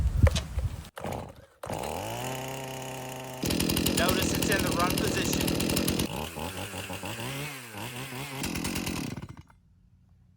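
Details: Stihl chainsaw cold start, after burping on full choke and moving to half choke: engine catches and revs, settles into a steady even run as it moves to run position, then cuts off cleanly into silence; healthy saw.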